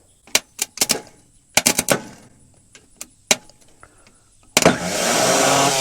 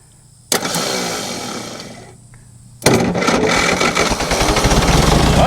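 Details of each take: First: Scrap diesel forklift, new solenoid, starter jumped with screwdriver and hit with hammer: clicks and taps then high electric whir winding up and fading, no cranking; starter spins but drive shaft doesn't extend to engage, starter possibly bad. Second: Diesel forklift bought headed to scrap: cranks with weak starter and possibly low battery, catches after a pause and settles into a steady, even diesel clatter with no misses; runs well, possible exhaust leak.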